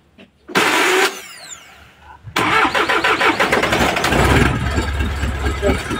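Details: Freshly overhauled Isuzu 4HL1 diesel, after replacing the suction valve that prevented starting: engine cranks with quick rhythmic pulses, catches within a couple of seconds and settles into a steady run.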